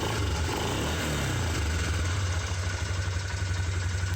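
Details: Suzuki Vinson 500 ATV after fixing bogging under acceleration by cleaning the fuel system and checking/replacing the spark plug: single-cylinder engine idles with a steady, even low thump, instant throttle response, good power.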